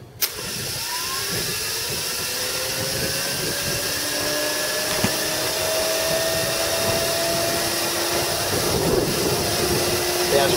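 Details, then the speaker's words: Toyota forklift DC series drive motor on a 12-volt battery, bench test: clean whine climbing steadily in pitch, then an even, quiet hum with no grinding or clatter; normal motor run. "really quiet. It's 12 volt and very very nice very very nice motor."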